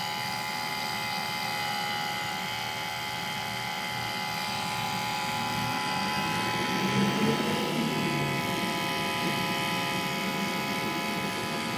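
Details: Nissan 350Z with engine off: steady electric whir; ABS pump motor running continuously even after the ABS module was replaced with a used one; cause never found, pulling the ABS fuse contacts stops it.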